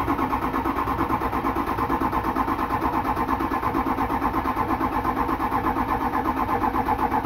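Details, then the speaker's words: Freshly rebuilt diesel in 6-door Super Duty first fire: cranked in 30-second sessions after priming fuel, FICM relay reinstalled once oil pressure showed; steady cranking about three pulses a second, injectors clicking, catches and starts evenly; normal. "All right, you guys want to hear one of the best sounds that you'll hear? All right, the injectors are clicking."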